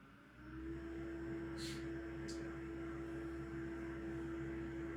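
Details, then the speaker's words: Bosch Serie 2 dishwasher starting an Intensive 70 cycle: soft, steady motor hum at one even pitch with a couple of light clicks before water fills; normal cycle start. "Because should it start filling now? It will start filling. Give it a minute. There it goes. There we go. Just take it. Yeah, just a little first pulse, isn't it?"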